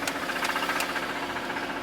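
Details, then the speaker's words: Engine swap-candidate BMW M3 at idle: a heavy, rapid knocking taps steadily through the running sound, sounding like a tractor, no check engine light; cause suspected, not confirmed. "Yeah, that definitely does not sound good."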